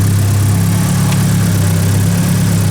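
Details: Nissan S13 hatch with SR engine from a car that sat two years, just swapped in: steady low idle with even rumble, no knocks or stumbles; cam angle sensor timing was off, engine retimed, owner feels it sounds less smooth.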